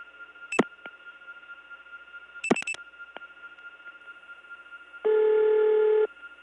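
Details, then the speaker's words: Early-1979 call through the Gainesville, GA step tandem to a ringing number in Cleveland: switching clicks, then a St. Thomas-type ring whose low tone is a mismatched buzzy tone, replaced with one from another machine. "as you've heard cleveland also has st. Thomas type ring and as is the case with so many st. Thomas type ringing machines the low tone has been replaced with something from another machine"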